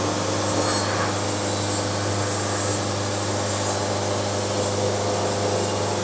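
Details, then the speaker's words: Bandsaw sawmill cutting a board at very slow feed: steady motor drone under even sawing hiss, no load change; band resonance from too-slow feed rate, lots of wave, nearly ruined board. "We got a lot of wave. Oh man, that's bad. Got a lot of band resonance."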